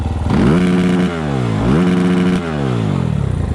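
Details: 2020 SSR Motorsports SR300 single-cylinder dirt bike with a Lectron carburetor mod, after the first ride: it revs up cleanly twice with crisp throttle response and drops back smoothly. Normal, healthy revving.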